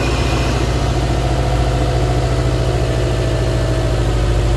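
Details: 2007 Subaru Impreza that would not start on a dead battery, started after the battery was replaced: the engine catches and settles into a steady, even idle with a low rumble, no misses or stumbles. Starts and runs fine.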